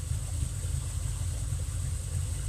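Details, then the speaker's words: Fox Body with a near-stock engine, B cam, Flowmasters and chopped exhaust, warm and idling in neutral with A/C off: a deep, steady idle with a slight even lope and no misses; fuel trims near zero, normal. "explains why it's behaving perfectly well it's a pretty much stock motor with a B cam guys when I hear it sounds a little lumpy to me"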